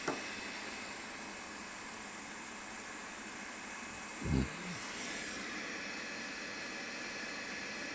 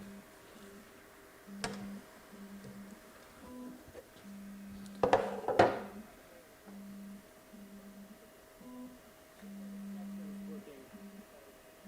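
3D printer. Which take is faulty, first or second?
second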